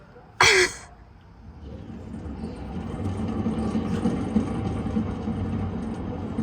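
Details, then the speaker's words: 2005-14 Ford Mustang: low, steady roar building as the wheel is spun, the wheel turning freely but roaring from a bad wheel bearing before replacement. "if you can hear that that well but it's pretty turn freely but it is roaring"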